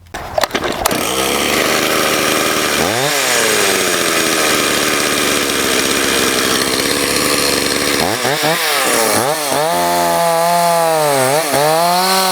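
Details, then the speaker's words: Stihl 026 chainsaw, hot after a test cut, leaking bar oil and with poor compression; rough uneven revving with abnormal noises, sounding worse when hot. "And it does sound even worse after it's ran and it's hot like this. I'll just show you that. Hopefully you can hear all the noises here. That's not normal."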